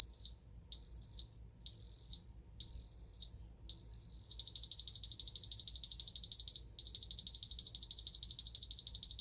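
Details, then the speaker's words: Ademco 6139 alarm keypad, armed away, intrusion zone activated (alarm 08): shrill beeps, first slow half-second pulses, then rapid warbling bursts about three per second, a yodel pattern; intrusion alarm. "You can hear this one yodels as well. Let's silence that. There's alarm 08, intrusion alarm, and alarm canceled."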